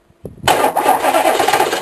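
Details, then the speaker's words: K3500, sat six months, cold start on ether spray: harsh, rough grinding from the moment the key turns through the crank; owner suspects bad starter. "oh yeah grind smash crash yeah doing"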